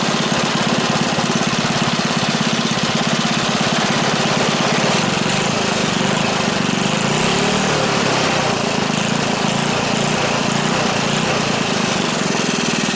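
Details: Free small single-cylinder engine with bent rod and repeatedly welded pulley, fresh gas: fast, even, steady buzz with no misses or knocks; runs normally.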